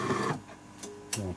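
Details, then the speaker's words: AEG Electrolux coffee machine that hummed and made no coffee because its brew unit was jammed. After the unit was freed by hand, it powers on and runs its startup self-test: short motor whirs and clicks as the brew unit cycles smoothly without strain. Normal. "проверился опрос произошел дальше включаем кнопкой включения вот и пошел прогрел"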